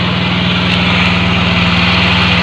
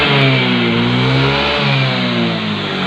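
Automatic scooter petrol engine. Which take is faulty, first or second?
first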